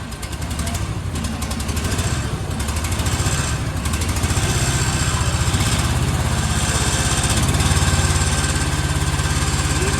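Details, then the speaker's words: Gravely Rapid tractor now running, dripping gas. A steady, even twin-cylinder thrum that firms up as it settles, with no knocks or misses, means the engine is running well. "that's funny but it does run nice impr sounds pretty good too"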